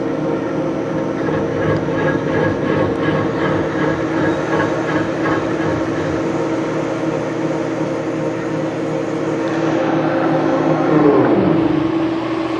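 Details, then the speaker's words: RMT Pipe Spool Master TGB facing cut, tool fed lightly in X until contact: steady, even cutting hum with light unbroken tone, no choppy interruptions; smooth cut means the vise is centered, not off-concentric. "We don't want it to sound too interrupted. That means that our vise isn't centered, but it should be a nice, like, smooth sounding cut that doesn't sound too interrupted."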